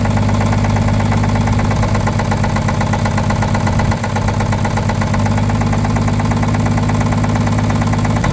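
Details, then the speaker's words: Abandoned 1950 Chevrolet 3800 one-ton truck, 235 six, sat since 1977: idling with a dull knock about three times a second following engine speed, worn rod bearing; the full 60% dose of oil additive did not remove the knock. "however in badly worn engines you can use up to 60% so naturally we used the full 60% and uh it did not remove our knock"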